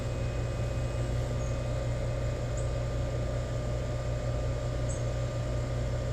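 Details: New Rheem EcoNet 3-stage inverter system at high stage, heard indoors: steady airy hum with constant fan rush and faint even inverter whine, no rattles or squeals; normal, quiet compressor run.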